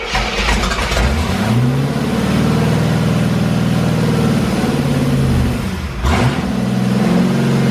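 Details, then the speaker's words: 1985 Corvette C4, L98 Tuned Port Injection V8, after reconnecting the plug wires one by one because the distributor numbers were off: it starts and is blipped; idle still uneven but sounds much better, no knock or dropped cylinders. "okay idle's definitely screwed up um but that sounded so much better"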